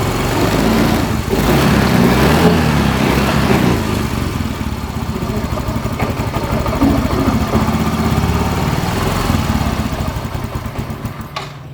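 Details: Yamaha Mio M3 125 scooter just after a new spark plug, plug cap and coil: it catches and revs, then the beat slows and stumbles toward stalling. Unstable idle after start; fuel pump pressure is being watched.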